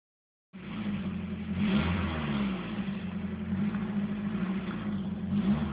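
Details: Nissan SR20 engine with stock exhaust revving: raspy, puffing edge over the exhaust note that rises with throttle, an exhaust leak.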